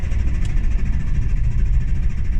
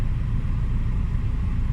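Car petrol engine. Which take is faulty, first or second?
first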